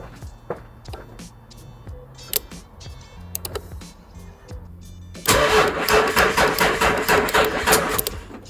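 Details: Range Rover Sport diesel that ran out of fuel, suspected air in the system: scattered clicks, then the starter cranks in quick even beats for about three seconds without firing, starved of fuel.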